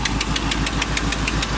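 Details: Oldsmobile Cutlass on a cold day (about 30°F), before repair: sharp regular ticking, about six or seven a second, over a steady idle; a leaking exhaust header gasket puffing at each exhaust pulse, which is being replaced.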